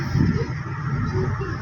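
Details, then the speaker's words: Maruti Swift diesel on a test drive after gearbox repair with new parts fitted: only even low road rumble, with no whine, growl or rattle from the gearbox, which runs quiet and normal. "Test drive के लिए हम जा रहे हैं और इसमें जो smooth पढ़ रहे हैं इसको चलिए बॉक्स में इसको आवाज नहीं ए रही है"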